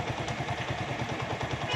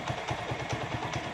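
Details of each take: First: Motorcycle after carburetor air–fuel mixture screw tuning and idle speed lowered: slow, even thump-thump idle with no hunting or stumbling; the earlier jerking is gone and it idles smoothly. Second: Motorcycle carburetor, idle air-fuel mixture screw being adjusted after starting. A small single idles with a slightly uneven, shaky vibration and faint clatter. The mixture screw is set too tight; it gets backed off until the idle is smooth.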